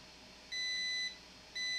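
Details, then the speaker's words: SK Hynix BC511 SSD on bench, multimeter continuity test across a component: two steady high-pitched beeps showing a dead short; bad component, suspected diode or capacitor. "oh yeah guys this is uh closed circuit so it's uh it's a bad component"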